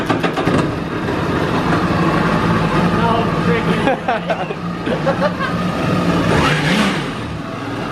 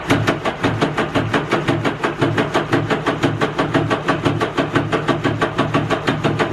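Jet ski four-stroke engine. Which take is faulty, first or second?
second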